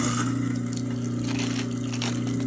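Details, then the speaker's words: Garbage disposal running with hot water at a pencil trickle, before dropping in a Plink cleaner ball: steady even low motor hum with light water trickle, no grinding or rattle; running normally. "You can basically sort of wait until it stops making a noise. About 10 or 15 seconds."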